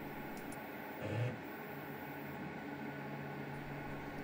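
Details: Anycubic Mono X resin printer after levelling: steady low buzzing whir with a brief louder crunch as the Z stepper motor grinds, because the Z stop sensor signal arrives late and it overtravels; fixed by a spacer lowering the sensor plate.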